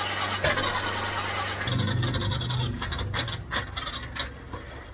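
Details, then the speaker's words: Citroen HY72 van, not run in 8 years, no fuel tank fitted, distributor adjusted by guesswork without finding top dead center: engine catches but runs ragged with lumpy pulses and stray pops; rough running from wrong ignition timing. "the firing order was definitely out which is why the smoke was firing out the air intake and not out the exhaust"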